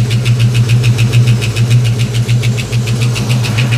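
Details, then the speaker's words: 1989 Ford Mustang LX 5.0 convertible with brand-new fuel injectors, first start after years off, oil pressure up, warming for thermostat check: steady idle with a light even tapping about four times a second; ticking noise at idle, source unknown. "This car is running. I'm trying to figure out what that noise is. These are brand new fuel injectors. I wonder, what in the world is that noise?"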